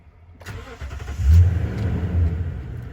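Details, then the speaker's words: Truck with a very dead battery being jump-started from another truck, key on about 5 seconds first: a short burst of cranking, then the engine catches and settles into a steady low rumble; starts normally. "Perfect. So now the truck's running. And again, since the battery was so dead, we're gonna leave the truck running here."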